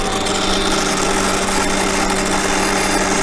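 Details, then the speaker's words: 2020 Toyota Tundra 5.7 V8, under 50k miles, won't restart when hot after shutdown; fuel pump commanded on by scan tool, heard at left frame rail: steady high gritty buzzing drone, pump sounds noisier than it should, suspected faulty fuel pump. "I don't think it sounds great"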